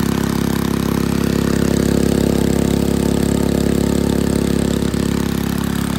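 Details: 1951 Briggs & Stratton 6B-SF small single-cylinder four-cycle gasoline engine, 1.75 HP, rated 3600 RPM, barn fresh: steady even buzzing at high constant pitch; owner, without tachometer, thinks it runs a little fast, governor adjustment suspected.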